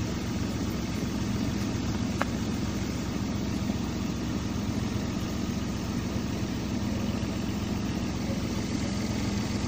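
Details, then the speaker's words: Toyota Avanza/Daihatsu Xenia, during an idle speed control (ISC) check for high, fluctuating idle with code P0505. Smooth, even idle at about 900 rpm with a steady hum, no misses or hunting. The idle control is working fine. "RPM sudah menunjukkan di bawah angka 1000, kurang lebih 900. Oke, mantap."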